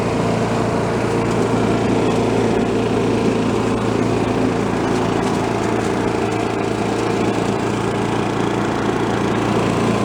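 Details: Troy-Bilt chipper vac, single-cylinder engine, refuelled and test-run, carb O-ring still awaited; steady, even speed with no misses, surging or knocks. Sounds healthy.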